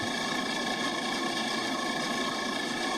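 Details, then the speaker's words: Walk-in freezer condensing unit, box at 12°F, that only cools when it's cold outside; semi-hermetic compressor runs with an even hum and light rapid chatter after capacitor change, condenser fan barely audible; normal compressor running. "So that noise you're hearing is not the motor. That's the that semi-hermetic beast there rattling around. The condenser fan is super quiet."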